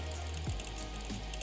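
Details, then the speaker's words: GTX 960 graphics card fan in a desktop PC, fan speed raised manually: rising spin-up tone with fast light ticking over the hum, a terrible clicking from the faulty fan that worsens as the card heats and fans ramp. "that's our issue the fan click so let's just lay this computer flat so we can actually have a look at what the heck is happening"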